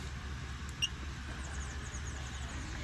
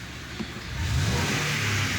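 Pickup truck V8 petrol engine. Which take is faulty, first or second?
first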